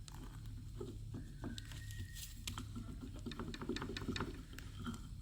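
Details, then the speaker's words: Removed failed tie rod end from 2003 Toyota Tacoma, rocked by hand: quiet gritty irregular clicks and metallic grinding from a completely loose ball joint; a new one barely moves. "there's some metallic grinding it's completely loose that ball joint and it's jumping up and down normally the brand new one you barely can move this there is so much resistance"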